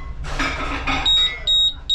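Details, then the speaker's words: Hoshizaki ice maker not making ice, started in ice mode: control board sounds three high, sharp beeps, the freeze timer alarm for two consecutive freeze cycles over limit. "so type of alarm three beeps it says freeze timer freeze timer setting for two cycles in a row"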